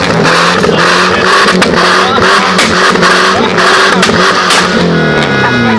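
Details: BMW E30 with M10B18 engine and factory exhaust system revving: uneven, stumbling note with irregular sharp pops breaking up exhaust rhythm; misfire while revving, cause unknown.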